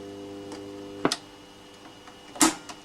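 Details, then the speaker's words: Vintage Petro Scott 2-track mono reel-to-reel with tube (valve) amp, heads just cleaned, before repair: steady low buzzy hum with two mechanical clunks, from a failing filter capacitor; replacing it later fixed the hum. "you can probably hear it humming at the moment um it needs a new filter capacitor"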